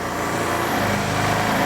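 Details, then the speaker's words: Vespa ET4 scooter, warmed up, after fuel system and air filter work, drive belt good: fast, busy, steady buzz, noticeably quicker than a settled tickover; idle set too high, to be lowered via the adjuster off the air box. "time to turn the idle down it's definitely a little on the high side it's pretty noisy"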